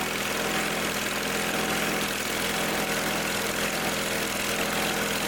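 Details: Simplicity tractor that wouldn't start, running after tightening a leaky fitting where Teflon tape may have got inside: steady, even petrol idle with a constant drone and no misses or knocks; engine running properly.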